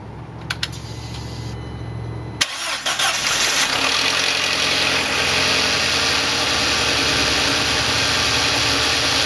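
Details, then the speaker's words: 2005 VW Passat 1.8L turbo, after replacing spark plugs with NGK PFR6Q (idle previously rough): starter cranks briefly, engine catches cleanly into a steady even idle with no misfire stumble; normal start and idle. "Sounds good. I'm going to take it for a ride."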